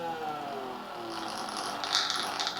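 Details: Harman Kardon HK695 computer speaker side driver fed a falling test tone from a signal generator: harsh buzzy rattle rides on the sweep; faulty speaker driver.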